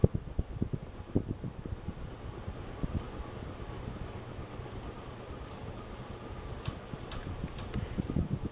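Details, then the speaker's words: 1980s Moss WF Series 132 cm polished-brass ceiling fan, made in Hong Kong (speeds est. 55/120/160 rpm), one of the quieter units: soft smooth airflow, no hum or tick, faint irregular rustle; running quietly and healthily, moving plenty of air. "it blows an excellent amount of air that's why i don't i don't really need it to go so much faster than this it's already a lot of air"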